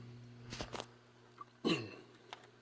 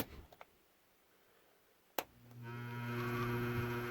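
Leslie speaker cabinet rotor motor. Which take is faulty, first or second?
second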